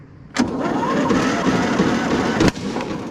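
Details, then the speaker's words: 2008 (believed) Husqvarna YTH2242 lawn tractor, Briggs V-twin, before repair (later found bent push rod/valve problem), runs in rough shape. Cranks and catches roughly, then a single sharp bang: big backfire on starting. "Big backfire."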